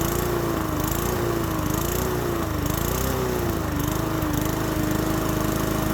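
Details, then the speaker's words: Abandoned single-cylinder walk-behind mower running on fresh gas, with oil suspected in the muffler: buzzes with an uneven, surging tone and a really big vibration. Owner notes the blade looks never changed, very thin and cut through on one side; cause unconfirmed. "so when I had this motor running I noticed I had a really big vibration to it and if you look here um I don't think his blades ever been changed that's very thin"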